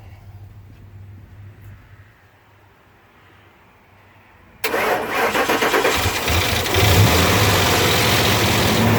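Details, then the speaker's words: 2002 Ford Explorer 4.6L timing-chain V8 4x4 with Flowmaster 44 exhaust, on its first start in over a year using a jump pack. It catches abruptly into a fast idle with a loose rattle in the first seconds. The owner worries about rattles on these engines; the cause is unconfirmed. "You can tell it's been sitting for a while. Thing was rattling pretty good."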